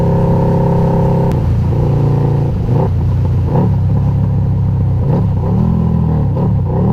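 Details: Harley-Davidson Night Rod V-twin, 1130cc bored to 1250cc with Fitzgerald Hellraiser cams, oil warm, accelerating on test ride: deep strong pulse climbing smoothly through revs and shifts, no knocks; normal engine under acceleration.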